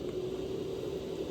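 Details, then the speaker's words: Fan plugged in through a homemade speed controller built from a light-dimmer switch, test before wiring: even steady whir with low constant hum, no rattle or pulsing; fan running smoothly and healthily. "You can hear it, it's running."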